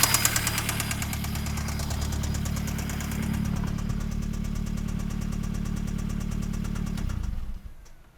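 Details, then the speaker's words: Jetta engine with lifter noise, just after fitting new lifters and 260 camshaft and intake. Fast, even ticking over a rough idle at first startup, fading at shutoff. Lifter tapping suspected, not confirmed; 20-minute 2,000 rpm break-in advised. "So, It's a little tappy"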